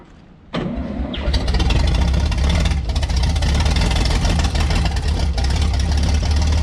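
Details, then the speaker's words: Vintage Scoopmobile LD5P articulating loader (thought late 1940s–early 1950s), sat at least 15 years; after spark restored at the points, choke worked, engine catches and settles into a steady, deep low rumble without stumbling; coolant level unknown, run kept short. "Try to keep, try to keep it running. Yep. Go again. Yeah, we got a runner."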